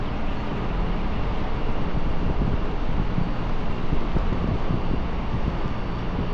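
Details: AAON rooftop unit condenser fan motor running with a steady, even low whoosh and no rattle or knocking; normal condenser fan operation.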